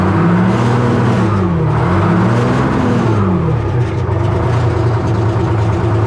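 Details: 1970 Hough International H60 payloader, Detroit Diesel 3-71, loud steady diesel with whine bending with load as bucket works — hydraulic pump whining because fluid is way low; needs hydraulic fluid added.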